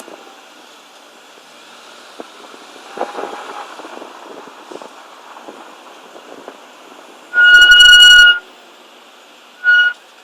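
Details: M5 brakes: quiet roll, then a sharp high-pitched squeal for about a second and a brief chirp after as the car stops; brake squeal.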